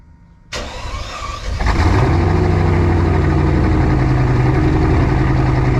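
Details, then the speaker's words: Petrol car engine cranks, catches and settles into a lumpy uneven idle, misfiring on two cylinders. "why does that sound like [ __ ] put your old Scantron on it see what it says sounds that's half the cylinders"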